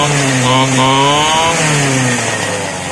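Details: Two-stroke grass cutter that previously would not start, after carburetor cleaning: buzzy note climbs then eases back smoothly, with steady firing and no stumble or dropout; running fine.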